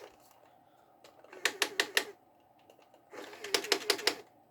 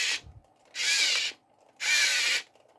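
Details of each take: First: 5V 2A mini DC-DC boost module powering a 1:28 RC excavator, drawing about 400 mA: a small motor whirs in brief bursts with sharp stuttering clicks as it cuts out and restarts for lack of power. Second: 1:32-scale RC excavator run from a 5V 2A mini DC-DC boost module with input raised to 4.2 V (full LiPo charge): two short bursts of high, buzzy whirring as the drive motors run at normal steady speed, with a smaller voltage drop than before.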